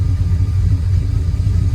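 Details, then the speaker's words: 1999 Dodge Ram 1500 5.2 (318) V8, 5-speed, with a long-undiagnosed misfire, after a repair prompted by the first check engine light: idle even rougher, low lumpy uneven throb; O2 sensor possibly still relearning. "Oh, it's even rougher. Great."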